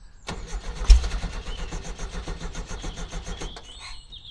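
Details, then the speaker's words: 1970 VW Type 2 Bay Window with a 1641cc air-cooled engine, unstarted for about six months, on a charged battery with starting spray: the starter chugs with a few weak catches but it won't keep running. Congealed fuel in the tank, lack of fuel, is suspected. "that's just easy start only might need to get fuel man that is a lack of fuel there's a fuels congealed inside the tank"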